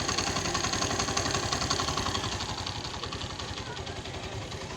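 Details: Suzuki GS150 after engine rebuild with new piston and rings: small single putters at an even quick idle, no ticking or rattle; only slight tappet sound, tappets to be adjusted after a week, slight gearbox noise.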